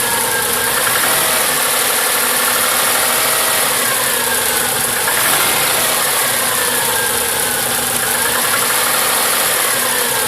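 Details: Cold-start idle with loose, uneven ticking knock over a busy top end; knocking at cold start, cause unknown.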